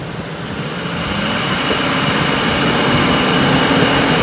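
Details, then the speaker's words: Ford 5.4 L Triton V8 after timing chain replacement, revved after startup: the engine note climbs smoothly and steadily with no tapping or rattle, no longer shaking, not a box of rocks. Normal engine rev. "basically it's settling down i turned that off i think not really shaking like it was it's not a box of rocks give her a rev see if it"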